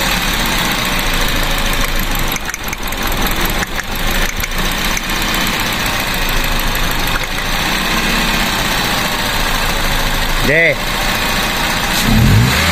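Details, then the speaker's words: Car idling with an uneven, lumpy, stumbling misfire; new spark plugs were just fitted but two plug wires were crossed, breaking the 1-3-4-2 firing order, so the engine shakes until the wires are corrected. "Yung spark plug kanina no lang kaya hindi talaga pwedeng magkapalit yan eh no 1342 yan"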